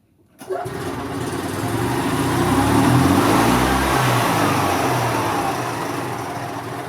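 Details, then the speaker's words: 2002 EZGO TXT gas golf cart: small engine climbs and holds high steady speed with foot off the pedal, stuck governor-to-carburetor throttle cable keeping it from returning to idle; some wind noise. "Okay, sounds like we have a stuck cable."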